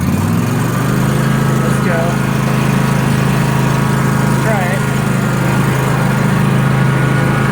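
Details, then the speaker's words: John Deere 300 series tractor with a 44-inch snow thrower, after replacing a twisted, slipping, broken belt. Steady engine drone pushing into a big snowbank without bogging or belt slip. Normal running under load. "Well, it works for sure. Talking about. Look at that. Big giant snowbank. It's pushing it."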